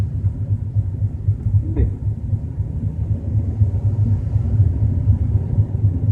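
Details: BMW 320i while driving at a steady 30–40 km/h: a low, throbbing rumble pulsing about four times a second. The source is not identified.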